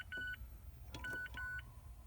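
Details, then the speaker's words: Short high electronic beeps over a quiet cabin in an ND Mazda Miata with key on: door-open warning chime, normal. "You can hear the beeping. That means the door is open, so it's beeping because of that."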